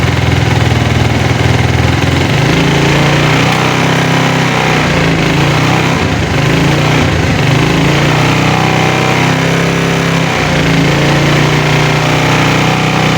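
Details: Motorcycle, kick-start removed, 12-volt battery too weak to crank, started by turning the rear wheel by hand in 4th gear on center stand: steady, even putter at idle with slight rise and fall, no misses or knocks; engine running healthy.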